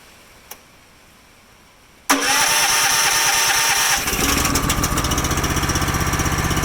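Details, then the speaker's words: Honda GX240 with a Keihin carb on a hydraulic auger power unit that sits unused most of the year. Fires on the first pull, then lumpy pulsing surge about four beats per second. Clogged pilot circuit suspected. "And when I looked at this the other day, it was surging like the pilot circuit was clogged up on it. It would clean up if you ran it with some choke, but it wouldn't run clean without some choke, and it really wouldn't idle well."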